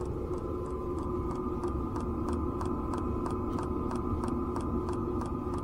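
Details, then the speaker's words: Domestic "Grasshopper" camper trailer heater heard from inside: light sharp regular ticks about three per second from the electromagnetic fuel pump, largely masked by the steady fan rush; pump was remounted on a hose-section damper to quiet it. "Да стучит но внутри Звук вот этого насоса топливного маскируется полностью шумом вентилятора всего практически не слышно"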